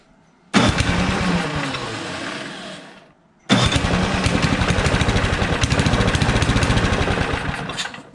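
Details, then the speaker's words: 1973 John Deere 726 snowblower, tried at various throttle settings: the small engine fires and sputters, dies, then restarts with uneven surging. The owner suspects fuel starvation from a clogged fuel tank or gas line; this is not confirmed. "because it just sounds like it's not getting enough fuel it'll run and then I'll stop and so I think that it's just a fuel problem"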